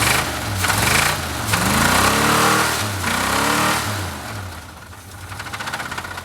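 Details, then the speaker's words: Blown engine on a mildly chilly start, revved up and down twice: deep rhythmic knock quickening with revs; owner says definitely a rod knock. "yeah it's definitely a rod knock"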